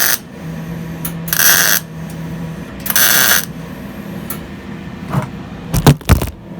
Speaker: So as you can hear, it just sounds like cooking bacon. Get that sound, get a good ground, and then obviously I'm just spotting it in right now.